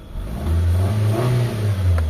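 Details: Mitsubishi Lancer with low power and misfire traced to camshaft sensor (MAP sensor socket ruled out); check engine light now off: clean, deep rev rising and falling smoothly with no stumble or miss; engine healthy.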